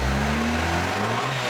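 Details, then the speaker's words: Honda D16 D-series transmission upgraded with MFactory LSD, first run after cold start and warm-up, going through the gears: smooth even drone, steady gear hum, no clunks, whine or grinding; gearbox healthy. "Cool. Alrighty. All sounds good."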